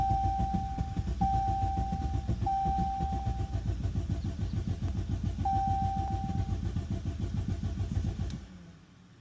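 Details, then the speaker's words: 2016 Jeep Cherokee Latitude overheating from extremely low coolant, misfire, cold start and rough idle codes stored and pending: starter cranks steadily about three and a half turns a second for eight seconds, engine never catches. "Yeah, this engine does not want to start."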